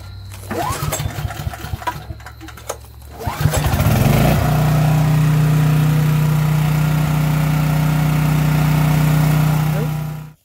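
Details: Briggs & Stratton model 1650 5500 W generator converted to natural gas and push-button start, final check of hand start: a few rope pulls, then it catches and settles into a steady even drone with no misses; healthy start.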